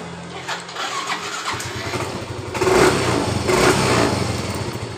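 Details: Yamaha Mio M3 125 after tapping the sticking starter relay that kept the starter running with key off: short starter spin, engine catches into a steady putter, no starter run-on; normal start.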